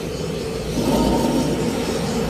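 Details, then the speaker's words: Old Toyota Avanza, driving: steady low droning rumble and vibration from the front wheel caused by a worn front wheel bearing, which is then replaced. "pengecekan kaki-kaki depan berbunyi gemuruh di roda bagian depan. Bergetar guys, berarti ini bearingnya."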